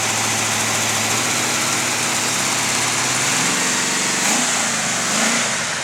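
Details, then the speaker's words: 1979 Oldsmobile 403 V8 from a Trans Am, running on a home-built engine run stand just after first fire-up: steady, even running with smooth throttle blips, no knocks or ticks, little vibration, not overheating; timing may need adjustment. "I don't see much vibration little bit not bad pretty happy though front stand is just sitting there doing nothing all right it's not overheating looking good"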